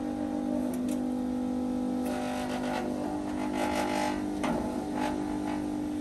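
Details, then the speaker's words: About 20-year-old Snap-on 60 A battery charger charging a car at 10–15.5 A, 11.8–13 V: steady mid-pitched electrical hum with buzzy vibration from the bent, loose case panels. "and because the case is all bent up the vibrations are crazy but obviously we could fix that"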